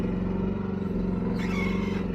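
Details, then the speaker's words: Chinese mini excavator digging a pond after about 12 hours of use: diesel drones steadily, then a high thin squeal rises for about a second as the boom lifts; dry boom pivot needing grease. "Yeah, I'm really got to grease this up."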